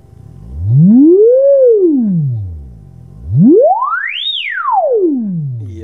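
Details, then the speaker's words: 1976 Celestion G12M 55Hz speaker from a Marshall cabinet, voice coil rub test with tone sweep; pure tone glides up and down smoothly, no buzz or scrape even at lowest frequencies where rubbing would show; voice coil runs free, clean sweep. "The low frequency is the thing you need to look at, because that's when the rubbing shows up, you know, because you can hear it. But that's clean all the way."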